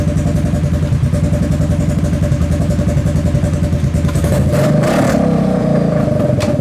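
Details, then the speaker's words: Kawasaki KFX700 V-twin quad on fresh gas, after months sitting, runs lumpy with occasional sharp pops and stumbles as it revs: intermittent misfire or intake backfire. Carb cleaned, spark confirmed; owner suspects stuck valve or timing chain. "So it still has the misfire or whatever it is, the backfire into the intake. It sounds like a misfire. It sounds like it's backfiring into the intake."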